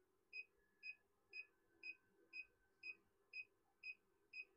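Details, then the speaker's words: JIANSHUN 6 kW inverter at about 6–6.2 kW load (EV charger plus heater): sharp high beeps about two a second, high-load warning, cooling fans barely running. "Let's see how much it beeps. Oh, there you go. You can hear it beeping. 6.2 kW. 6 kW on the inverter."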